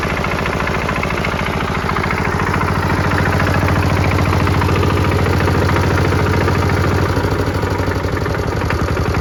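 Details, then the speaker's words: Kubota L13G tractor built 1962–1967 (about 60 years old), single-cylinder vertical two-valve water-cooled diesel, idling after a morning glow-plug preheat: even regular thump, no misses or knocking; engine very healthy, no white smoke, perhaps minor oil drips. "ผมก็ไม่อยากเชื่อเหมือนกันครับว่ารถอายุ60ปีเครื่องยนต์จะดีขนาดนี้ครับดีจัดเลย"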